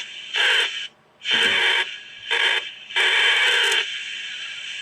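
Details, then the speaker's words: Newly built 7-transistor radio kit being tuned across the band: loud high-pitched squealing bursts on some stations as the receiver breaks into oscillation; cause unknown, possibly a solder spot bridging a tuning coil near the bottom of the band. "That one's just immediately going into some kind of oscillation, it sounds like."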